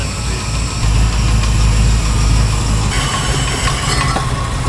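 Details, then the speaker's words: RADCHARGER project with Jeep Grand Cherokee transmission, first start after fitting a new fuel pump, fuel cap possibly not venting: deep, loud, slightly uneven idle burble, far louder than expected, engine still settling. "still finding itself yeah it's way louder than I"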